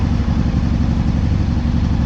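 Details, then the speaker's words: Honda PC800 V-twin, hot, vacuum gauges connected before synchronizer adjustment: fast idle with a slightly uneven, lumpy beat; carburetors out of sync. "Sorry I can't shut my seat there so you can see a little bit better, but started the motor up. It's running a little off right now."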